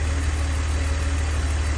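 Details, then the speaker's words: 2002 BMW 330Ci idle: smooth even low rumble, no tick or knock; earlier tick gone, owner suspects collapsed lifter pumped back up or slightly under-torqued spark plug; running cleanly. "so but ultimately she's running good so I don't have a problem"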